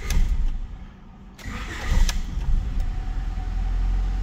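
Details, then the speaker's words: 1994 Honda with leaking capacitors in ECU, TDC sensor signal not seen: engine cranks and stumbles several seconds before catching to rough idle; ECU gives up and falls back to batch-fire mode, hard start from extended cranking. "is you got to crank it over enough times until it gives up and say says okay I don't see the TDC sensor signal so I'm just going to go into batch fire mode"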